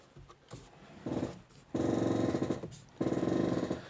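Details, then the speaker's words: Chevrolet Malibu (salvage/Copart car, $10 junkyard axle just fitted): groaning, growling noise in bursts from the steering rack each time the wheel is turned, fading when it stops; alignment looks straight, not a binding rack, cause not found. "and the steering rack is actually making some noise however the alignment looks straight so it looks pretty good"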